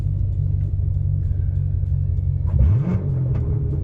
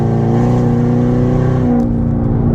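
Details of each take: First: Corvette C7 Stingray after its damaged, hacked factory exhaust was replaced with a bolt-on Armytrix exhaust. A deep, even V8 idle rumble with three sharp throttle blips that rise and fall cleanly gives a healthy, finely tuned exhaust note. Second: Corvette C7 Stingray V8 with the catalytic converters removed and a check engine light on, accelerating from a stoplight with increasing throttle: loud deep unmuffled exhaust drone that is painful in the cabin.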